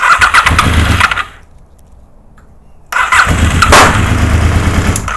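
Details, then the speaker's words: Honda VFR750 after long storage, on a low battery with primed carbs and the enricher off. Two bursts of labored cranking that never catch: the coil trigger and power wires for cylinders 1 and 3 were swapped. "right what did I do wrong guess what the dummy did that'd be me I switched the wires around on the coils I had number ones on number three and number three on number ones you know the trigger and the power wire for the coil"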